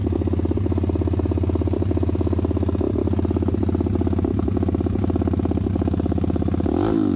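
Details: WPB Beast 190 Welsh pit bike, Zongshen 190cc 5-speed, after fitting a new Nibbi 28mm carb with air and fuel screws roughly set, run outside; fast, even single-cylinder beat with a sharp rev blip, crisp and snappy; not yet ridden; normal running.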